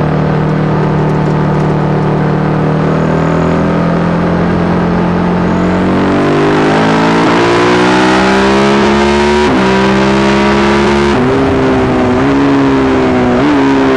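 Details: Yamaha YZ450 single in a supermono race bike: note climbs but breaks up with brief stumbles at upper revs, worse after a couple of laps; misfire unsolved despite changing carb settings, fuel tank, filter, breathers, ignition, coil, generator.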